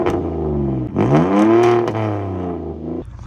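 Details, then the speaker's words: Ex-police Ford Taurus Interceptor, 146,000 miles: engine revs up and falls back with a raw, loud, open drone; one muffler missing, possibly lost and emergency-patched; loud exhaust. "for some no good reason the muffler is missing there's only one Muffler I wonder if they lost the muffler and then they just did an emergency fix I'm not sure but I really do not like the way this car sounds"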